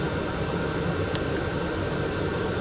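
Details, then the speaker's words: VEPAX DD53 Pro diesel heater in a garage, about 8 minutes after switch-on, display reading about 8 degrees and 12.9 V, on program 10. Steady even combustion roar with a constant fan hum and no misfire pops or surging; running normally. "You can definitely hear it kicking in now. So I'm gonna let this run for 20 minutes and come back to you and let you know what the temperature's got to."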